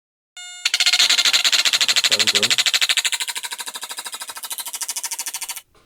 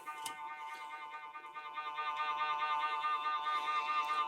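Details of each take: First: Vintage Stylophone 350s synthesizer under repair: the power amplifier IC draws excessive current and runs hot, hitting the bench supply's current limit. This makes a harsh, even buzzing chatter at three to four pulses a second; suspected fault near a nearby transistor. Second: Stylophone 350s vintage synthesizer after replacing a broken transistor in the vibrato circuit: sustained tone with a slow, regular pitch wobble at an even rate; vibrato working, slow setting.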